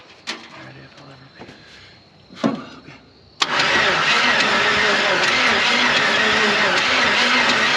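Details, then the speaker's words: Ford Ranchero 4x4 with 350 Chevy engine parked 30+ years, fed gas with ATF in it: weak pops while cranking then a sudden rough roar that never settles; wants to fire but won't catch, timing suspected out. "[Music] it wants to bad so kind of a last ditch effort here is to check our timing and I'm thinking the lower one is actually backwards cuz there is no marks anywhere"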